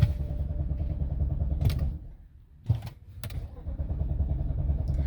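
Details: 2007 BMW X5 4.8 V8, fault code 2F44 EWS preventing manipulation, cranked after a reset attempt with key off and brake pressed: low steady churn about three turns a second, never catches; crank no start.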